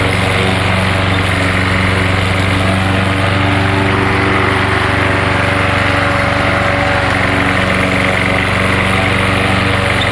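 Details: Gas lawnmower running on propane fed into the carburetor intake: steady, even small-engine chatter at a fast constant speed with no stumbles or surges; running smoothly.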